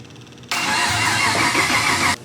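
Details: LS V8 swap in a BMW E46, start attempt after adding engine grounds: steady, even crank spinning strongly under two seconds then stopping; starter engaging and turning normally.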